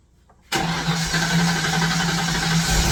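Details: Long-sitting Fox Body Mustang cranking on an uncharged battery with charger on, fresh gallon of fuel and starting spray: steady crank with even compression pulses, never fires; crank, no start, injector signal next to check.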